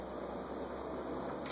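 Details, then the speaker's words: Montgomery Ward Signature 20" box fan after dry bearings treated with WD-40, run on low, medium and high; steady airflow hum, no squeal. "I'm going to turn the thermostat all the way down, turn it to low, and then turn it on, and see if it squeals. Nothing on low, medium,"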